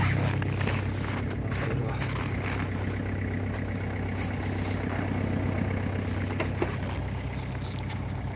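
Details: Ford Focus 2.0 TDCi diesel idling just after a hard cold start at -18 to -24 °C: steady low diesel clatter with deep even drone, running smoothly, no misfire or knock.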